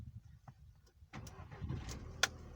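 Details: 2002 VW Mk4 GTI 1.8T (AGU) after the faulty starter was removed, fixed and refitted: quiet, then a brief crank and the engine catches cleanly with a sharp click; the starter engages and it fires normally.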